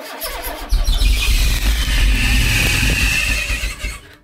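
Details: 1980s MG/Austin Rover turbo barn-find car, first time firing after long storage: engine catches and runs with a loud high squeal over the crank for a few seconds; slipping accessory belt suspected, not confirmed.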